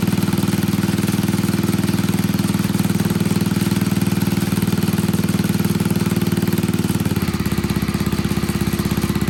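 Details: Old Troy-Bilt Pony rototiller, temporary battery fitted, idling on a little fresh gas: steady, even single-cylinder thumping with no misses or hunting; everything working, running fine.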